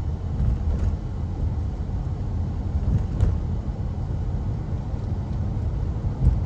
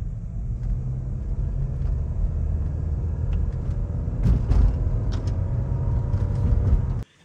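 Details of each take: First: Honda CR-V with 150,000 miles, winter, after hammering a large chunk of ice loose: steady low road rumble while driving, even and smooth with no rhythmic thumping; earlier thumping vibration gone, sounds healthy. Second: Honda CR-V in winter driving: heavy road rumble with irregular dull thumps from underneath, feels like something hitting the floor; a packed chunk of ice striking the underbody.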